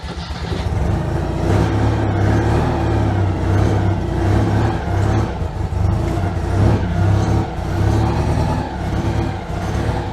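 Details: Citroën 2CV, not run for months, first start after slow cranking with easy start and too much choke: it catches and runs lumpy and uneven at low speed, surging. Some flooding was seen, and it then smoothed out.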